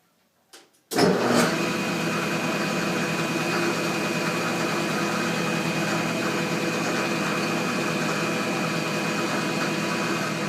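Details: Old Parks cast iron surface planer, readjusted after transport, switched on: the motor spins up in about a second to a steady, even hum with a clean whir and no knocks or rattles; running smoothly.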